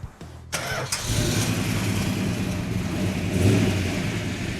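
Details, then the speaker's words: Freshly restored 1967 Hemi GTX convertible, 426 Hemi with a 4-speed, started for its first drive after restoration: a quick crank catches within a second and settles into a deep, steady, lumpy idle with no knocks or misses; sounds healthy. "That sound nice? Oh, Sounds healthy. it does."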